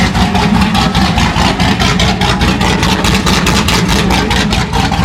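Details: C6 Corvette Z06 with 441 LSX, running after a heads and cam install with coolant topped up and oily headers smoking: loud steady lumpy idle, even pulse, no knocks or ticks; engine sounds healthy.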